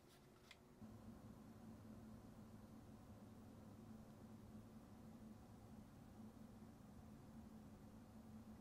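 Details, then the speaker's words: ASUS TUF Gaming RTX 5060 three-fan graphics card under gaming load in quiet mode, fans at 33% (830 RPM), recorded with a wireless microphone: very quiet, even low fan hum with no ticking; barely different from performance mode, normal. "Now that I'm specifically listening for any noise, I can tell that yes, in the quiet mode, this graphics card is quieter. But the fact that I could barely hear it in the performance mode just speaks volumes."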